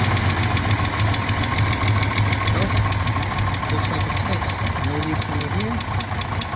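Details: 1968 Mercedes-Benz 230 idling after Zenith 35/40 INAT carburetor repair (stripped fuel inlet, rebuilt fuel return valve), first start in about a month: steady idle with light quick ticking about three per second, known lifter tick for 30+ years.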